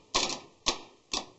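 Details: Bench test of a Ford Escape starter, jumper wire from positive to the small solenoid terminal: three crisp, sharp clicks about half a second apart as the plunger snaps out each time. Solenoid working normally, though this doesn't prove the starter is good.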